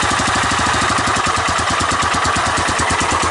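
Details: 1985 Honda ATC 250SX Astro with replacement carburetor after wiring repair: quick steady single-cylinder popping beat at even pace with no stumbles; running cleanly, no smoke.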